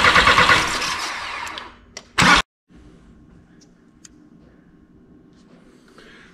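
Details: 2003 VW Jetta 1.9 ALH TDI, with an 11mm Bosch VE injection pump fitted and injector lines off: the starter turns the diesel for about 1.5 seconds with no firing, priming fuel to the delivery valves.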